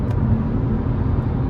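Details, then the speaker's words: BMW M car in the cabin at highway cruise after a plug-and-play ASD (active sound design) bypass install: only even road and wind noise, with no booming exhaust drone. The bypass removes the drone. "I'm getting road noise and wind noise, but I'm not getting drone. So I guess this actually really does work for drone."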